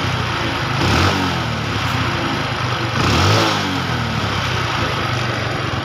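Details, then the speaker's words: Honda Revo carburetor after service, with the air screw adjusted and the sticking throttle piston fixed: two clean throttle blips that rise smoothly and drop straight back to a steady idle; running normally again. "Oke motornya sudah hidup normal dan gasnya sudah normal kembali teman-teman ya dan bahkan gasnya sangat empuk sekali ya"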